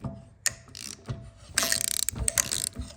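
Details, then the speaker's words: XL80s with the head pulled, engine turned by hand: light sharp metallic clicks in uneven bursts from the bottom end, behind a part that still spins with it. Owner thinks it may not be a key, source not yet found. "Whatever's clicking is clicking behind this guy, but he's still spinning with it. So, it might not be a key in here."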